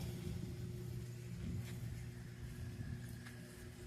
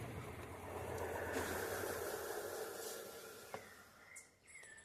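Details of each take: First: Consul 12 kg washing machine that screamed during spin, after a rubber part was fixed, spinning with little water: a low, even hum as the drum accelerates, with no slapping, squeal or rubbing. The noise is cured. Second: Consul 12 kg washing machine spinning empty, without water or load: thin high scraping squeal rises over the spin drone then fades, like something catching; reported to scream badly during spin, typical of a slipping drive belt.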